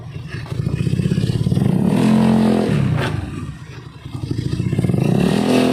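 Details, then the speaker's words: Honda Beat carburetor scooter CVT after repair: revs rise and fall smoothly twice with no rattle or scraping. The earlier grinding noise on throttle opening is gone, so the fix worked. "untuk kondisinya sekarang dia tidak berisik ya berarti penghafalan yang menggunakan metode tadi ini berhasil ya teman-teman"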